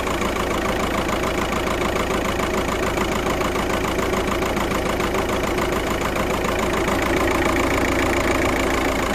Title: 000769 misfire detected p0301 passat